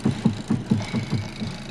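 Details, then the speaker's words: Hyundai Verna, customer complains of steering noise while driving; engine idling as steering/wheel is rocked: dull knocks about four per second; ball joint found loose and washer also loose. "तो इसमें हमने check किया तो इसका ये ball joint खुला हुआ है, ये वाइसर भी लूज़ पड़ा हुआ है।"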